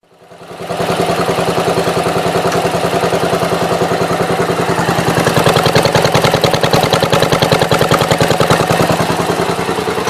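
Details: Gravely with Onan NB 430 twin: even steady firing at a fast idle with no misses, knocks or surging; running healthy.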